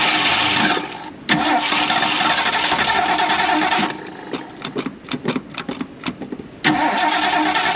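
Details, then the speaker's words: 1977 Mercury Grand Marquis parked 10+ years: it cranks in bursts and fires briefly but won't idle because it isn't getting fuel; the earlier spark problem was the control module. "right we're not getting fuel so I gotta try something different"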